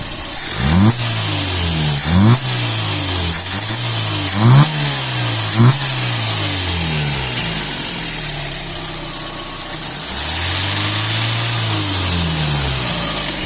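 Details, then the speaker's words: VAZ Classic 1.5 with a rebuilt Solex 21083 carburettor, warmed up: engine revs rise and fall cleanly with no stumbles or flat spots; it drives well, though econostat and second-chamber transition tubes still need enlarging. "Ось так працює Я на ньому проїхався їде прекрасно міжкамерних провалів Ніяких немає"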